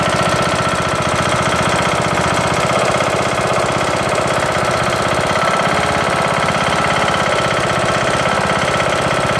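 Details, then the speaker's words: Briggs & Stratton lawn tractor single-cylinder engine after camshaft and timing gear replacement runs with a loud rapid regular knock; owner suspects misalignment or something loose causing a wobble; cause unknown. "ght but I'm wondering if something's out of alignment or maybe something's loose and so it's getting that wobble and that's causing it to knock"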